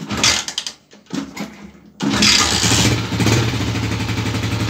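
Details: 1978 Honda CG125 motorcycle just converted from points ignition and 6 V to electronic CDI and 12 V electrics, fuel tank off: a couple of seconds of cranking, then it fires, holds a steady crisp run and revs cleanly; starting and running normally, charging confirmed.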